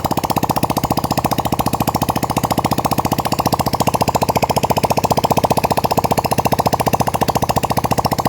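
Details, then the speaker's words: Yamaha Vega R that would not start, running with exhaust removed: loud, rapid, evenly spaced popping from the open port with no misses; engine runs cleanly. "Oke Kang Bro, jadi motor udah mau hidup."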